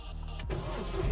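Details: VW Polo 9N3 GTI track car after fitting a high-flow performance fuel pump in place of the worn factory pump: short crank, catches at once, settles into a steady low rumble; clean healthy start.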